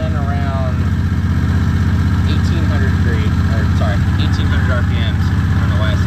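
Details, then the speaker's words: Predator 670 22 HP V-twin in an EZGO Workhorse golf cart, warm, read on a newly fitted tachometer: even, fast beat holding steady around 1800 rpm, idle too high (target 1100–1200); governor set near 4900 rpm; idle then adjusted at the carburetor. "it's a little on the high side but it is working i've got my governor set to about 48 4900 depending on how hard you stop down on the throttle"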